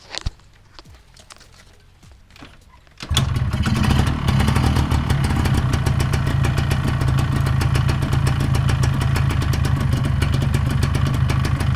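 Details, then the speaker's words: Yamaha 125ZR two-stroke after fitting head block and new piston rings; starts first kick, steady even idle, previous top-end rattle gone; leak check still pending; normal two-stroke idle. "Okey, kalau korang boleh dengar lah, dia tak ada bunyi kacang-kacang dah macam dulu."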